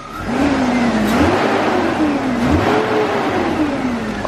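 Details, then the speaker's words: BMW E36 328i at its first start after a stock exhaust with cats was fitted: very quiet, but a thin whine rises and falls with each throttle blip from something in the engine bay; the source is unknown. "let's give it a little rev but i do now hear that something in the engine bay makes an annoying wine sound i'm not sure what that is but"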